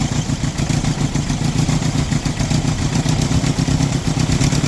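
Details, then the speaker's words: Toyota Tamaraw FX with Toyota 2C diesel, before repair, hard starting and low power: lumpy, uneven clatter with dropping pulses, no RPM, idle won't hold and engine dies; diesel misfire. "namamalya po yung engine at hard starting."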